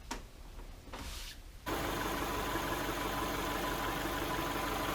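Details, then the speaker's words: 2011 Subaru Impreza, rebuilt EJ253 non-AVLS block with AVLS heads after rod bearing failure, running after rebuild: quiet clicks, quick catch, then smooth even idle with no knock, no leaks. Normal idle after repair. "it's running really well I'm gonna call this 100 very pleased"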